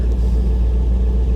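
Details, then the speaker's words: Vehicle at Copart salvage auction, recorded at the tailpipe, running on rotten, varnished gas: low, even exhaust rumble idling smoothly and steadily with no misses or stumbles; running like a top. "that is ex that is rotten gas guys she is running like a top listen to her"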